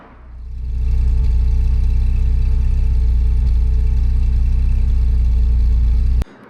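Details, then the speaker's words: Classic Porsche engine after oil/coolant flush for coolant-oil mixing, system refilled with water: even, steady exhaust pulses at settled idle, no misses or stumbles; engine runs cleanly and owner believes mixing issue is solved. "That looks good to me. That is the best news I could possibly imagine. I think that is solved."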